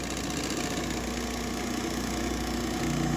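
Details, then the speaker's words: GE refrigerator condenser fan motor running: loud, rough, uneven droning hum with rattly buzz, from worn motor with excessive shaft play making it wobble; complaint was loud noise while running, fixed by replacing the motor. "it's the condenser fan motor. Looks like there's a lot of shaft play in the motor, and it will just start to wobble and make a lot of noise."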